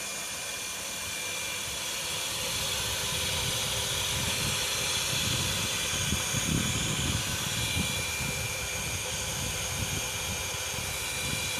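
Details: Mitsubishi Electric household water pump, about 10 years old, running with a steady, shrill, drill-like whine and rough hiss from bad bearings.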